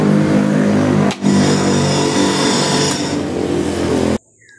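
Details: Westinghouse washing machine spin dryer: steady motor hum under a loud, rough whirring rattle.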